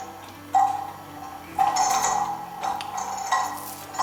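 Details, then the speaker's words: Kieninger longcase clock movement on a test stand with a new suspension spring and a beat amplifier: ticks come unevenly spaced instead of an even tick-tock. Out of beat, crutch hitting a pin. "as you can hear it's not in bead it's definitely not in bead it's stopped"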